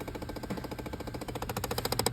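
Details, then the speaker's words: Car off: fast, steady clicking behind the dash from a blend door actuator whose gear gets stuck and skips; fix is replacing the actuator (two screws and a plug). "it's either that actuator or that actuator in my case it is this one"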